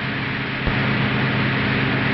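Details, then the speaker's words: Car engine of more than a hundred horsepower responding to the accelerator, from a 1950s demonstration film; steady, even hum with no knocks or misses and a constant note; normal engine running. "familiar sound of a fine motor car engine more than a hundred horsepower responsive to the drivers latest cut from the Excel"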